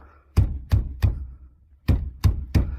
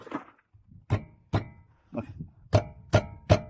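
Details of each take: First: 2015 Mazda 3 1.5 after replacing worn brake caliper pins on both sides, wheel rocked by hand: dull thuds with no metallic rattle or knocking; worn pins had caused clatter on rough roads. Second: 2015 Mazda 3 1.5 on rough, uneven roads: uneven sharp metallic clunks from a brake caliper rubbing on worn guide pins with play; all the guide pins were then replaced.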